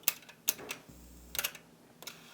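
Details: Yamaha KX-W262 1990s double cassette deck, deck B that was eating tapes: crisp clicks then short low motor hum as the transport engages; now catching properly, loose connector or solder joint suspected.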